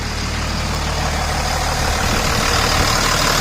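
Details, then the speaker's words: 2000 Dodge Ram 2500 Cummins diesel, AC compressor pulley bypassed with a 65-inch non-AC serpentine belt: smooth, even idle clatter, no knocks, squeal or belt chirp; belt tracks straight, sounds healthy. "Sounds good. Okay. Well, the good thing is, looks like that belt's tracking real straight."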